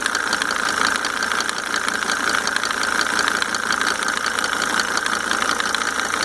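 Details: Mercedes 300D W124 2.5-liter diesel idling just after five newly rebuilt injectors with Monark nozzles installed; fast, light, steady tick over the clatter; source of tick undetermined.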